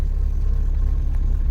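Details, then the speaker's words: Nexia car started after replacing the ignition switch at home: deep steady rumble at idle with no knocks or misses, smooth until cut off; normal idle. "Енді оталдырамыз. Мінекей машинамыз оталып тұр."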